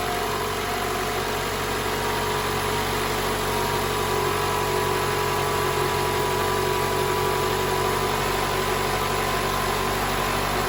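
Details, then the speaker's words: 2012 Toyota Camry 2AR-FE 2.5 L idles smoothly with no rattle after the spring inside the VVT-i intake cam gear was replaced; before the fix it made a loud rattle on cold start. "So, the car is running right now. So, you didn't hear that rattle."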